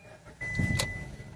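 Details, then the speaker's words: Hyundai i10 1.0 with immobilizer fault (no spark, no injector pulse, immobilizer light off) after fix: immobilizer light now on, short starter whirr catches and engine starts and keeps running beside a steady dash chime; normal start. "και πήρε μπρος το αυτοκίνητο."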